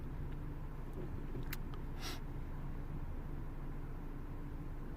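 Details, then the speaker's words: Ford Focus 1.6 petrol after repair of a high, fluctuating lean idle: low, steady idle at 768 rpm against a 750 rpm target, with no hunting or hissing; fuel trims still high but dropping; normal idle. "so seven six eight our PM's that's why he wants seven five so the RPMs is spot-on"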